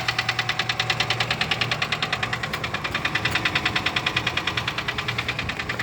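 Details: Daewoo Lanos engine at idle: a steady, fast metallic ticking around two and a half per second over the idle; hydraulic valve lifters knocking.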